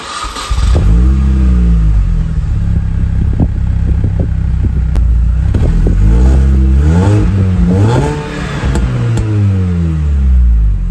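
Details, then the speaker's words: Mini four-cylinder, finally fully warm, after exhaust line improvement, revved harder: smooth rising and falling sweeps, deep even burble without pops or rattles; exhaust sounds sealed and healthy. "bon vous avez vu j'ai fait un petit peu plus ronfler parce que là elle est enfin chaude enfin enfin chaude elle était petit à petit de plus en plus chaude c'est pour ça qu'au début j'ai pas trop accéléré et là ben ça fait vraiment un joli bruit"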